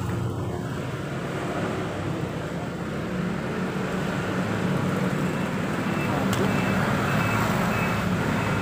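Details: Suzuki Nex scooter that was hard to start cold and wouldn't hold idle, after its automatic idle air control was converted to manual: a steady, even putter at low idle that holds without hunting or dying. The idle is stable.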